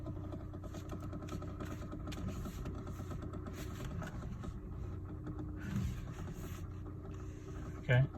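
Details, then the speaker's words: 2011 Hyundai Elantra at idle in about 100-degree heat, also in reverse: loud rapid steady clicking knock seemingly from the steering wheel column; cause unknown, loudest yet. "It's a really loud noise coming from the steering wheel column, it feels like. Not really sure what's happening, but"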